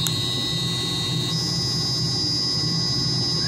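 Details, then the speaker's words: Variable frequency drive on a roughly 25 hp pump motor (uncertain) at 4 kHz carrier frequency: steady high-pitched buzz over motor hum, stepping up in pitch as switching frequency is raised, growing quieter. "you can hear that high-pitched buzzing noisy sound that's a 4 kilohertz carrier frequency"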